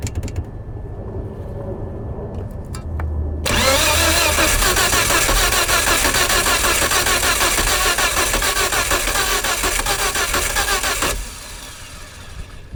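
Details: 1998 Volvo S70 flooded after P0116/P0117 no-start, coolant temp sensor and thermostat replaced, plugs cleaned, oil in cylinders: cranking, then on third try it catches and roars loudly with gas pedal held before settling.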